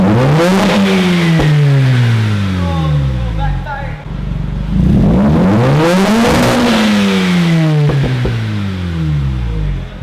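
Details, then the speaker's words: Mazda RX-8 rotary, about 100,003 miles, after unflooding and replacing spark plugs (coil 2 misfiring), check engine light on: two smooth revs sweeping up and back with even buzzy exhaust note; sounds healthy, starts better than before. "it actually sounds healthy and feels like it started it up way better than when i first got it"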